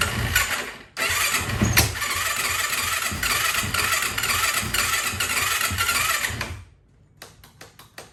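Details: 2004 Yamaha YFZ450 ATV, first start in years after rebuild with new exhaust, exhaust just tightened: catches cleanly, steady even idle with crisp throttle blips, no knocks or rattles; oil leak followed because the sprocket was left off.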